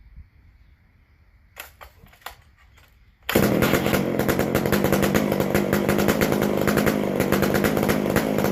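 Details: McCulloch Super Pro 125C chainsaw after base gasket changed and sealed, fixed-jet carb mixture turned out slightly; catches after a few pulls, steady raspy even run without surging, running like a charm, loud from missing muffler gasket.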